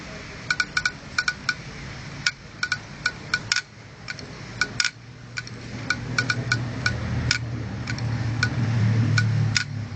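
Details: Opened IDE 2.5-inch hard disk drive running with its cover off: sharp, dry, somewhat uneven clicks about three a second over a low motor hum, the failing drive's heads clicking.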